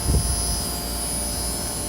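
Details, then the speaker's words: 15,000 inverter air conditioner compressor running: smooth, steady low hum with a thin high tone above it, no knocks or rattles; pressure rose from 120 to 130 and varied with demand; running healthy. "Increíble. La verdad que es una navecita. No tiene ni un ruido. Apenas."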